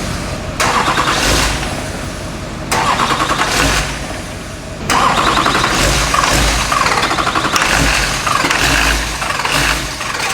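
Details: Rolled Duramax diesel being swapped into a K20 truck, first start: catches in uneven bursts, revs surging and sagging, never settling; runs only on starting fluid, fuel supply issue suspected, not confirmed.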